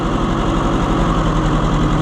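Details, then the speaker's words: Oliver 550 tractor that wouldn't run, at idle: rough lumpy idle with a missing beat; plug wires pulled one at a time while running to find the dead cylinder, traced to number 2; dead cylinder. "I think what I'm going to do is start it, try to pull off each wire one at a time and see which one doesn't make any difference."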